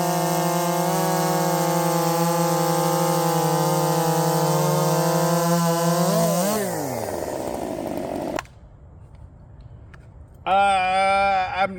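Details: Redmax 5000 chainsaw with 16-in bar, .325 steel RS chain, 8-pin sprocket, after wide-open exhaust port muffler mod, full throttle: loud steady high scream clean in the cut, drops away and revs back up; strong, pulling hard, feels blazing fast.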